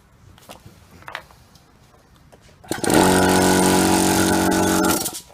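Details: Chinese 24–50 litre air compressor after repair of a knocking fault, with a near-original part fitted inside: a few light clicks, then even, steady motor drone stopping cleanly after two seconds, no knocking; healthy.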